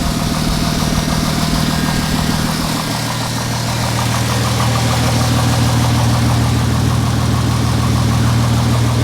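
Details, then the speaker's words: Mercedes SLK320 engine idling, exhaust smoking heavily from both sides, owner suspects valve seats but unsure: loud, deep, steady, smooth idle with no knocking; the motor itself sounds good. "It could be just not a bad motor, because the motor sounds good."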